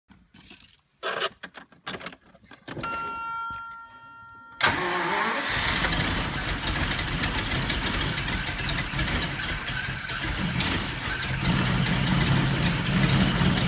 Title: 1990 Jaguar xj-s severe misfire